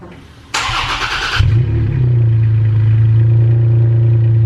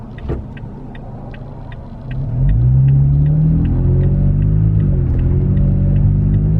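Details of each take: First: Toyota Tacoma with an MBRP aftermarket exhaust, cold start heard from outside: starter whirs, engine catches and flares, then settles into a steady deep throaty idle with no knocks or ticks; healthy cold start. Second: Toyota Tacoma with MBRP aftermarket exhaust, heard in the cabin cruising at 55 mph: deep, constant boom that swells slightly with throttle; exhaust drone.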